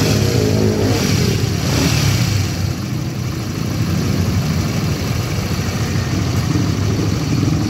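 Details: Honda GTR motorcycle that had a rough engine noise, after replacing the chain tensioner: idling and being blipped with a rasping note but no distinct knocking or rattle. Sounds healthy; normal running.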